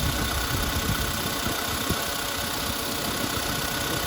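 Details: Volkswagen Polo sedan petrol engine, started cold in winter frost: idles evenly with a soft, steady hum and no knocking, all quiet; about 4,000 km on the current oil.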